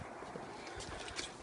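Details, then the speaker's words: 2006-12 Saab 9-3 TiD Aero, UK model: a few dull hollow knocks over a steady hiss on braking, mistaken for brakes; detached engine damper sitting on and banging the engine cover, needs replacing. "when we diagnose this car we saw the engine damper he come off was sitting on the engine cover and every time you break he was making noise so it wasn't nothing to do with the brakes"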